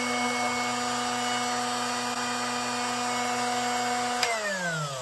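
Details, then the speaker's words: Drill Doctor XPK sharpener grinding a 118° drill bit: steady high motor whine with gritty rasp for four seconds, then cuts and winds down; bit grinding against sharpening wheel until the noise stops. "you want to keep sharpening until you don't hear that grinding noise that's when you know you're"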